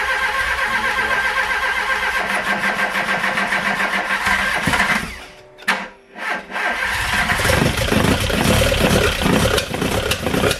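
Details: Golf Mk1 with swapped-in 2.0L 8v on Dellorto DHLA carbs, first start: rough uneven start with sharp popping backfires and stumble before catching; owner suspects an ignition problem.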